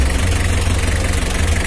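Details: Mitsubishi L300 diesel at idle during a radiator fan and fan-clutch airflow check. Steady, even low beat with no knocks or rattles; the engine sounds healthy.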